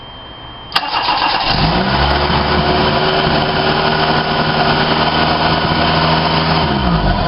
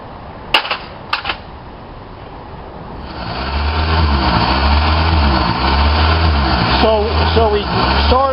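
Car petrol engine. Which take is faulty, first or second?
second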